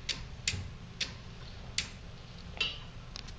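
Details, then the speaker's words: Pinnacle Systems Model SS infrared light curtain: blocking the curtain turns the unit red and the safety relays click sharply at irregular half-second gaps over a quiet hum, normal operation. "if we block the curtain the unit goes red you can hear the relays"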